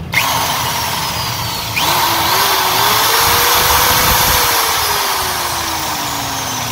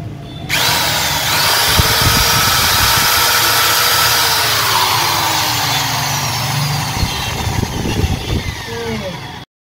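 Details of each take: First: 13mm impact drill (EID 13) in hammer mode: motor whines up and settles smoothly with no percussive rattle; hammer action not working, worn hammer ratchet parts. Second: 13 mm EID impact drill after repair of hammer function not working, run in normal mode: steady high whirring spin with even motor note, no hammer rattle, cutting off cleanly; drill runs normally.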